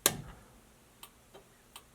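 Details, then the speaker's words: Dodge Challenger abandoned 35 years, recorded in the cabin as the turn signal switch goes left, then right. Crisp, evenly spaced click-clack ticks about every third of a second; the turn signal flasher works normally. "there's our left turn signal, there's our right turn signal."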